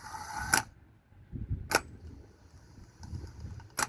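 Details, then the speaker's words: Old pickup truck starter motor bench-tested off the truck with a jump pack: sharp snaps at the cable contact, then only short, feeble low hums with no steady spin-up. The starter is too weak, and the truck would not start. "Aquí viendo que no nos quiere encender la la for qu vamos a hacer vamos a testear el el motor de arranque viejo"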